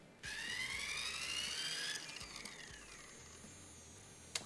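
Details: Blade Fusion 180 Smart electric RC helicopter motor on a pre-flight throttle check, spinning up with a clean rising whine then winding down; sounds healthy.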